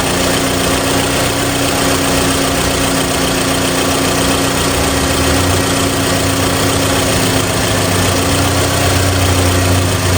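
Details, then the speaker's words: 2014 Toyota 2.4L AE-FE petrol engine idling after repair: steady, even hum with no rattle, after a camshaft phaser rattle was fixed by replacing the intake-side phaser and timing chain; sounds far better than before. "But, uh, yep, we got it running. Sounds good. Sounds way better than what it was."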